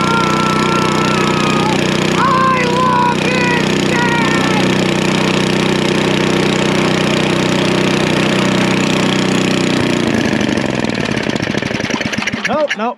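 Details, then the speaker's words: Snapper I 422 snowblower small engine, freshly restarted after dirty carburetor from suspected bad gasoline, before idle circuit tuning: uneven hunting beat that sags and dies after about ten seconds; rough unstable idle. "doesn't really want to idle come on"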